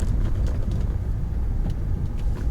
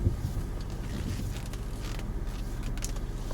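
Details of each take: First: Peugeot 406 V6 after exhaust replacement, deep heavy rumble with a constant boomy drone and vibration felt around 2,000–3,000 rpm; exhaust drone, cause suspected, not confirmed, weak rear shock absorbers also suspected. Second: Peugeot 406 V6, first cold start of the morning after exhaust replacement; the old exhaust had failed years earlier and grown louder. Now a low, even, quiet rumble with no puffing or blowing, just some wind: normal cold start idle.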